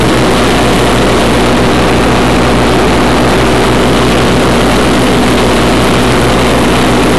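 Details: 1991 Craftsman GT6000, 20 hp Onan, first mow after deck lift eyelet bolt welded: steady, even drone holding speed under blade load, no misses, surges or knocks; normal mowing under load.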